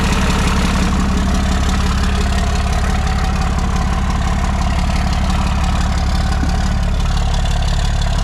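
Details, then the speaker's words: Rough, lumpy idle from a 1995 Ford F150 (OBS) fitted with 2005 axles; loud steady truck idle with an uneven beat underneath, running rough with no specific cause identified; starter solenoid suspected weak or sticking. "That thing sounds like a turd."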